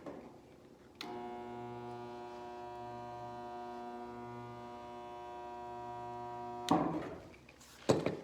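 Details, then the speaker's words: Princess Auto (Harbor Freight) 110 V spot welder on a 2007 Toyota Tundra box side replacement: steady mains-pitch buzz held about six seconds then cuts off, producing a spot weld; normal weld cycle. "You'll hear the buzz and a red glow in there. And there's our spot weld."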